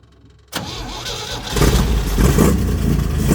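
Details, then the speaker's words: Old Jeep CJ with SM420 transmission, sat about 15 years, first start after sitting: engine catches and settles into a steady even idle with a firm low rumble, no knocks or ticks; 60 lb of oil pressure, sounds healthy. "60 lb of oil pressure. 60 lb of oil pressure. I can't believe that. That sounds good."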